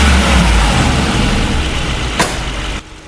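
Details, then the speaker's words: Mercedes-Benz G63 AMG V8 with engine light and loss of power: uneven, shaky idle vibration; diagnostics show cylinder 1 combustion misfire on bank one. "So here we just basically carried out a diagnostics and straight away we have found the combustion misfiring of cylinder number one has been detected. Hear it from the way the engine's got that bit of a vibration."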